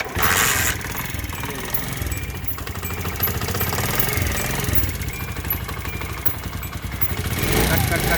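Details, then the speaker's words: 2022 Honda CD 70 single-cylinder, about a month old with roughly 100–200 km, idling with a light quick tick over the thump; valves have loosened and need tappet clearance tightening. "ये तकरीबन 100 200 kilometre चलने के बाद इसके जो वाल होते हैं वो लूज हो जाते हैं और उनको फिर जो है टाइट करवाना पड़ता है"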